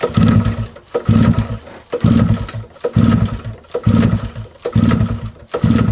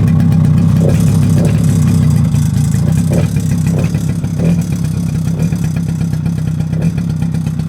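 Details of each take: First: Mid-1990s Suzuki LT50 two-stroke quad, unstarted for months, old petrol, old spark plug before cleaning: small engine surges and sags about once a second, catching and fading unevenly instead of holding idle; rough running, plug suspected. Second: Mid-1990s Suzuki LT50 two-stroke quad after refitting the old spark plug, very smoky from two-stroke oil in the fuel: busy rattly idle with throttle blips picking up cleanly and settling back; running much better than before.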